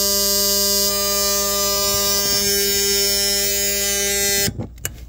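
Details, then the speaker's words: Aftermarket 40 A relay (about 15 A draw) switched by the OEM PWM-dimmed LED cargo light circuit buzzes steadily, chattering on and off at the pulse frequency; a capacitor between battery and load sides silences it. "what's going on is that you know whatever that frequency is it's turning on and off so many times per second um you're basically hearing that in the relay because the relay is basically turning on and off"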